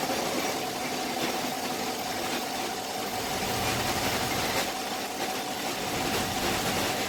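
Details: 2015 Chevy Silverado 5.3 V8 with P0300 misfire and blinking check engine light: a light valve-train tick over an uneven idle with an occasional stumble, traced to a collapsed lifter not holding pressure.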